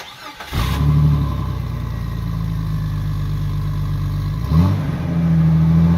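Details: 2000 Jeep Cherokee XJ, 4.0L straight six, with a newly installed MBRP stainless cat-back exhaust: deep, smooth exhaust rumble at idle with one quick rev blip, no ticking or puffing from the joints; exhaust sounds healthy.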